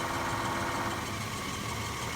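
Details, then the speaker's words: R134a AC compressor on 80 Series Toyota Land Cruiser, engine idling, engaged during recharge: loud strained drone with rough vibration, pressure dropping on gauges; laboring because system low on refrigerant; owner wonders if compressor is failing. "compressor kicked on and it sounds like it's struggling look at that dropping pressure"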